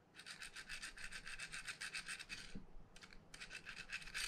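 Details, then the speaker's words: Shimano Stradic CI4+ 3000 spinning reel making a sandpaper-like noise under load, not from cranking: rapid gritty rasping about four strokes a second from a worn bearing, fixed by replacing the bearing. "customers saying it's making a lot of noise like sandpaper and it's not from the cranking so it's mostly to be from here now we're just going to verify"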